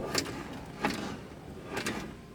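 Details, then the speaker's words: Car door inside latch after lubricating it with Tri-Flow to cure a squeak: three short, crisp latch clicks about a second apart with no squeak or drag; latch now moves freely. "just kind of loosen that up and it no longer squeaks and it seems to be doing its job"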